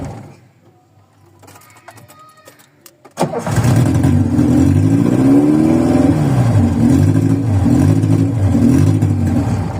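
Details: VW Voyage cold start after sitting many days, worn old mechanical parts: quiet, then engine catches with a thump into a lumpy, wavering idle that rises and sags; hard cold start and rough idle, takes a couple cranks.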